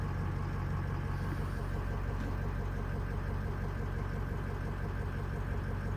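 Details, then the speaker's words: Cold start (66 degrees) on Greg's diesel truck with an EGR cooler, most sensors unplugged: deep, even clatter at a steady low idle, no hunting or jumping. It jumped briefly at first fire-up; normal idle now. "yeah I mean it's just completely smooth right now all good everything's good not jumping at all"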